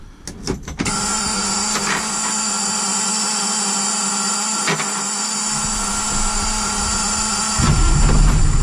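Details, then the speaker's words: 1992 Ford L8000 single-axle diesel dump truck at idle: a constant high hiss rides over the steady diesel idle, from compressed air escaping; air brake system leak, first suspected at the tractor protection valve but traced to another valve. "start it up for you here the one of the problems with it is an air leak so you're going to hear that"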